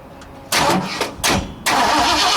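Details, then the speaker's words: 1960 Ford F100, 351 Windsor V8 unrun for decades, primed with brake parts cleaner: the starter spins in short bursts then a longer crank, but it never catches; no spark because the coil wire isn't in the distributor. "Might help if I put the coil wire in the distributor."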